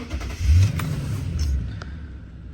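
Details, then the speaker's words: 2008 Toyota Tundra 5.7 with intermittent no-crank/delayed start from a wrong-size battery (voltage had dropped to 10.1 V). With a new battery, a short crank catches quickly into a steady low rumble. Clean start, no warning lights or codes. "last time I wouldn't start cuz of the voltage drop but as you can see there you go no lights no nothing"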